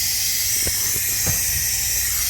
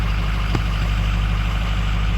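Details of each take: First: Ford 6.0 Powerstroke with dummy plugs, stand pipes and FTC fitting upgrade, long crank no start when hot, valve cover off, engine not running: steady sharp hiss with a few clicks, air leaking past an injector. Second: Ford 6.0 Powerstroke diesel with hot no-start issue, after reinstalling oil rails torqued to Ford procedure, dummy plugs and stand pipes: smooth steady idle while warming up, no knocks, misses or surges.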